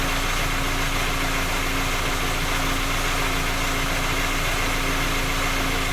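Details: Skoda Octavia A5 facelift 1.6 MPI, cold start idle: steady, fast light knock over the engine note, unchanged throughout; persists after three engine repairs, source not found.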